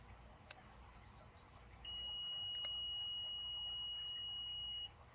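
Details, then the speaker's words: Toyota Venza rear power liftgate that stopped working: pressing the hatch button gives a single steady high-pitched beep for about three seconds while the hatch does not move; cause unknown. "so let's press the hatch button and see what happens maybe by magic it'll open no but it makes beeping noise but it's been making the bb noise now"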